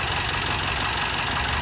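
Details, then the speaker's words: 2022 Mercedes Sprinter, M274 engine, 237k km, cylinder 3 low compression (90-120 cold, 60-90 warm): loud steady rushing hiss from the open oil filler at idle, faint knock underneath. Excessive crankcase blow-by; mechanic thinks the engine is worn out. "And look, if I put the cap back on, the compression is going to blow up. believe it or not."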